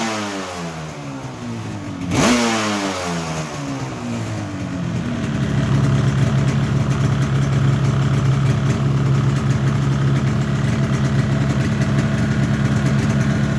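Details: 1985 RZ350 two-stroke on a dry test run-up after small repairs, with a damaged fuse box, wiring issues and hot stator wiring: a sharp blip of revs, then a steady even idle with no knock or rattle. Normal running and revving.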